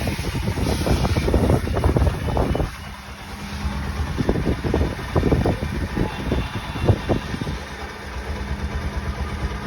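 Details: Bajaj Pulsar NS200 after an engine noise repair, final check: single-cylinder snaps up and falls back in quick blips with a clean exhaust note and no knock or rattle; healthy engine.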